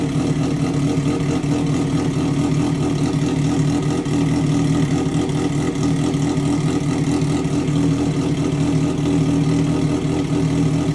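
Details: Triumph Daytona 675 rebuild after a wreck, first start in 3 months, new mid pipe fitted but muffler left off (straight pipe): loud, raw, even exhaust note holding steady with no knocks or misses; runs healthy.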